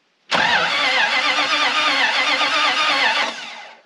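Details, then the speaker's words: Dodge W300 dump truck, modern Chrysler starter bolted in to replace old-style starter, run on small battery uncharged since last year: brisk, even whirring crank with steady pulses, no dragging or grinding; big improvement, normal starter cranking. "now that's a big Improvement"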